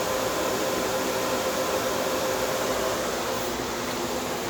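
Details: Small compressor in a homemade air conditioner at first start-up, run without the solenoid valve, not yet fully charged, no condenser fan, condenser water warming. Steady even mid-pitched hum, no knocking or rattling; normal compressor running.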